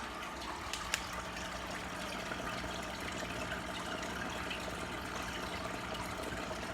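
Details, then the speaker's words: Marineland Emperor 400 aquarium filter after fixing an impeller that wasn't pulling enough water to turn the bio-wheels: soft steady trickle of circulating water with only a faint even hum and no rattle or buzz; running quietly and normally. "So it's real quiet. So let's put this up. There we go. And it's working."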